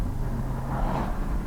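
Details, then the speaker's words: 2011 Volvo C70: full throttle up a significant hill to 6,000 RPM, even unbroken engine drone with road noise, misfire counter 0, car fixed. "And it is absolutely doing fine. We are pedal to the metal right now. 6,000 RPM, no misfires."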